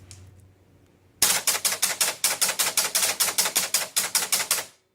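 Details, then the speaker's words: Captain Fantastic pinball machine, reset via microprocessor: about seventeen sharp clacks at roughly five a second, then abrupt stop; score reels run around twice but fail to reset to zero. "okay so you saw there that it it ran around and reset basically twice and never got to the zeros that it needed to get to"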